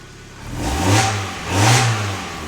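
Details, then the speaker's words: Mazda MX-5 Miata NA 1.6L after oil and filter change: two clean throttle blips settling smoothly, no tick or knock; brief lifter tick at startup before oil reached head, then fine, oil pressure about 6 at high rpm, normal. "As you heard, there was a little lifter ticket startup because there's no oil in the head. Once the lifter is filled with oil and started lifting, everything was good."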